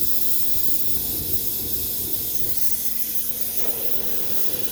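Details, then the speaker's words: Homemade Kwiky oil burner under troubleshooting: continuous airy hiss with slight surging from the atomizing nozzle, which is misting only slightly, but the fire does not improve; sputtering possibly from an air bubble in the line, cause not confirmed. "yeah it sounds promising but really no change in the fire"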